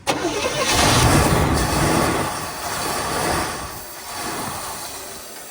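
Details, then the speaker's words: 1971 Chevrolet Chevelle Malibu two-door, small-block V8, first start after sitting 20+ years: sharp pop as it catches, then ragged uneven running that fades; backfire during start, owner suspects carb or air/fuel mixture, unconfirmed. "well you saw it run uh it's pretty sweet it's uh there might be something up the carb or something it's backfiring a little bit"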